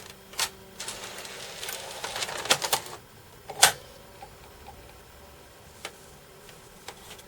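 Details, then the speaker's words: Sony PS3 Fat Blu-ray drive, after repairs, loading a PS3 disc: scattered irregular mechanical clunks and clicks with no steady spin-up hum; laser audible but the disc is clearly not read. "Well, that's the best it's done, but I could hear the laser. But it's it's clearly not reading the disc."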